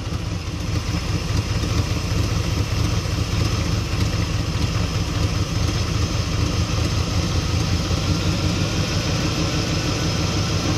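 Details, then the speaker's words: Holley 750 carburetor V8 at idle: with the idle mixture screw turned back in to half a turn out from an over-rich setting, the idle clears right up into a deep, lumpy but steady rumble. Mixture sounds about right, normal idle. "as soon as i turn that in you're going to be able to clearly hear this thing clears right up"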